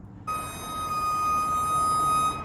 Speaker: This is an original Aztec brake block, and when you get it wet, it sounds like a flock of geese.